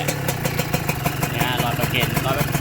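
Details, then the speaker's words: Honda NSR two-stroke motorcycle, square-headlight model, new gaskets, likely freshly rebuilt: quick, even popping at steady idle with no knocks or whine; quiet and healthy. "ก็น่าจะฟิตมาใหม่แล้วนะครับไม่มีเสียงดังไม่มีเสียงหอนเลย"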